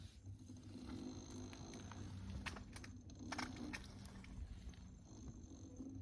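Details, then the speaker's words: Brand-new Inmotion V11 electric unicycle, from the same November batch, spun by hand as a baseline: only a soft rumble of the freely spinning tyre, no grinding. The owner's other wheel, at about 50–60 km, grinds, and he suspects its bearings. "you can still hear the rubber that's how clean it is still and nothing i don't hear grinding at all"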